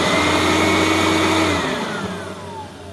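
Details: Riccar Supralite upright vacuum (church find), serviced and reassembled: even motor whine holds steady, then glides smoothly down in pitch after switch-off, no grinding or rattle; healthy.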